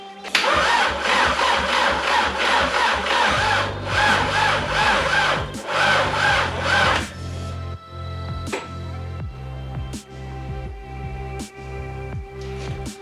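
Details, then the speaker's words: 1.8T engine just installed, no downpipe or O2 sensor fitted, battery at 11.5 volts: slow, uneven cranking bursts that never catch, then stop; no start, owner suspects a failing starter rather than the battery. "Alright, that battery's dead. Well, it's probably not. It's probably the starter. The starter is not happy."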